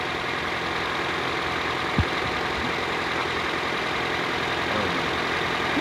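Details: 2006 Toyota Corolla after alternator replacement, now charging at 14 V. Smooth, even idle with a constant hum and no whine or squeal from the belt side; the earlier noise seems to have gone away. Normal idle.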